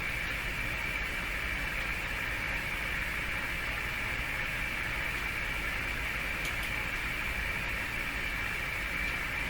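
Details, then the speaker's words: Hallicrafters S-40A shortwave receiver with a suspected front-end fault: a steady even hiss and a faint constant high whistle with nothing coming through, as if no antenna is connected; no signal reception. "yeah there's nothing nothing at all it's as if it's not even hooked up"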